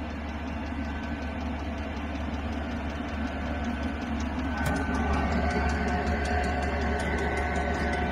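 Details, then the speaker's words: Chinese diesel parking heater on its first start after six months idle over summer, about 10°C outside, set to 17°C: steady even roar at full output with regular dosing-pump ticking and blower hum. Normal running at full output. "die volle power schönheits schön war scheinen alles ok zu sein der erste start ist einmal geglückt"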